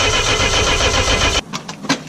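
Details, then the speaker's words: Mercedes-Benz 230E W123 cranking after fitting the fuel pump, cold day: about 1.5 s of rhythmic starter cranking, engine never catches; no fuel reaching the lines, owner suspects a failed fuel accumulator. "I really thought that might do it I guess if your accumulator is kaput"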